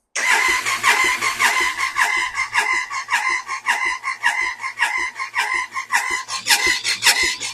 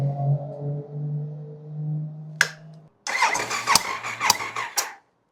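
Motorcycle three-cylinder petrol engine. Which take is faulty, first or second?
first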